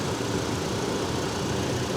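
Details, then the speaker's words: 2007 GMC Canyon, Vortec, 119,000 miles, at auction: quiet steady idle with an even low rumble, no knocks or misses; normal idle. "This engine sounds great. Here it is. You got your standard Vortec 2500. And it's running really pretty good."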